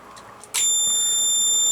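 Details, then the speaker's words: Recapped Blackcat JB-76M mobile amp, two 8417 tubes, on bench: sharp steady high-pitched buzzing from the DC-DC inverter transistors chopping DC; normal operation. "you hear that buzzing that's the um dc being chopped up by those transistors i said earlier um that's basically how blackhead works"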